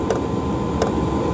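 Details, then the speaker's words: Chinese diesel greenhouse heater on a 12 V battery, running on red diesel, warmed up and working properly: steady hum with a crisp, even fuel pump click about every 0.7 seconds; normal running. "as you can hear now the the heater has got working properly the pump is just clicking"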